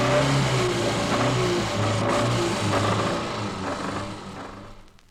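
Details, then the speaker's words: 1964 recording of a four-cylinder engine with a dull, heavy knock about twice a second: big end (connecting rod bearing) knock, with severe oil pressure loss; needs new big ends, probably crankshaft regrind; stop and tow immediately. "The big end is at the bottom end of the connecting rod where it connects with the crankshaft. It'll also be accompanied by a severe loss in oil pressure. It needs new big ends and probably the reg grinding of the crankshaft. This noise means danger."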